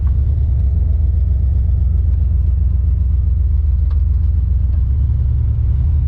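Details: Car on its first test drive: a deep, steady rumble with an uneven, lumpy beat under it. It is skipping on a cylinder, a returning misfire the owner thinks is probably a plug wire.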